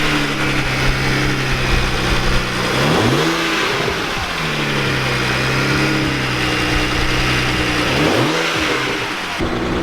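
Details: BMW 335i after ECU repair fixed misfiring and no-start: petrol engine idles evenly with two quick clean throttle blips, no codes present; normal idle and free revs.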